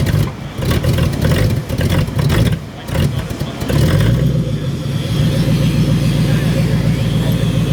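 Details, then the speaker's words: Demolition derby car with a whining, failing fuel pump: under throttle the revs rise, sag and drop out twice before settling; fuel starvation. "I'm currently giving it gas and it's cutting any out. So, fuel pump's going bad."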